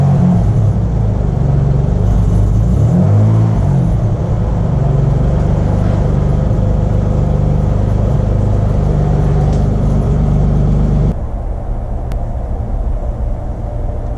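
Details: Turbo Probe after sitting 14 months, old fuel pumped out, fouled plugs, before a drive around the block: deep steady rumble with a brief rev, then an even idle, no slapping or ticking; normal running.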